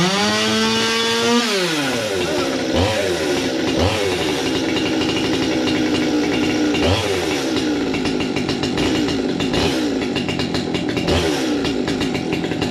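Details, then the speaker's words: Chainsaw 200T on first start after new carb, intake boot, impulse line, fuel line and filter, air filter and spark plug; crisp blips up and back cleanly, no stumble, sounding much better, still needs some tuning. "well I'll be goddamned it sounds like it needs now I just need to fight around with the tuning a bit I believe that's sweet that was a success yeah and it sounds a [ __ ] whole lot better too"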